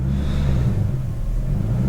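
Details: BMW E39 540i 4.4 V8 surging at low rpm with foot barely on the gas: deep rumble wavers up and down as throttle position moves below about 2.35% but holds steady above it, around 2.75%; cause unconfirmed.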